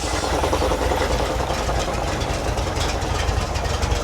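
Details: Circa-1952 REO (Diamond Reo) dump truck straight-six, sitting over 22 years, idling right after revival with idle turned up and coolant added: low, slightly uneven rumble with steady firing and no clear knock; running acceptably, minor oil drip near filter.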